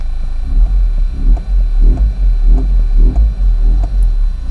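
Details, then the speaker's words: 2004 Toyota Corolla 2.0 D4-D diesel, warm, ventilation off: it idles with a deep, uneven rumble swelling about once a second, a low-rpm vibration that disappears above about 1500 rpm; the cause is unknown. "le problème qui m'embête le plus c'est ces vibrations écoutez bien le moteur je coupe la ventilation"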